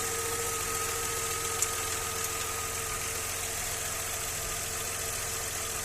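Steady idle with a light, loosely regular knock of about three or four a second over the engine hum; source not yet identified.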